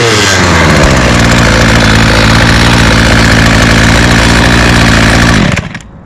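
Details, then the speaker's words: Two-stroke string trimmer started on the first pull, with TrueFuel credited: steady, even buzz for about five seconds, then a clean shutoff; normal running. "so as you can hear it runs all right um I guess that true feel really made it difference"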